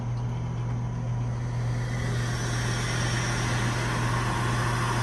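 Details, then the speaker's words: iDry vacuum kiln at initial startup test, vacuum release pressed: solenoid valve opens, steady low hum with soft even hiss of air bleeding in, no chatter; normal vacuum release. "so there it's opening the valve and it's bleeding off i don't know if it's bleeding i don't know what it actually opens to release the vacuum"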